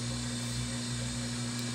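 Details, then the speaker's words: Whirlpool Duet washer after F21 fix (clogged drain pump filter cleaned): quick wash, steady high-speed spin, even hum, no knocking, scraping or rattling, no leaks or F21 code; normal spin. "this is spinning like it's never spun before what's going on probably because it's not hampered by it 87 gallons of water"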